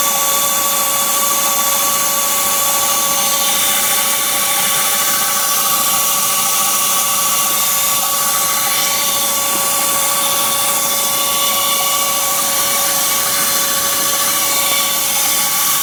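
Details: BMW Z3 1.9 at engine start, cold or warm: intermittent steady high-pitched squeal near 600 Hz and its octave over the running engine; AC and fan belt tensioner already replaced without fixing it.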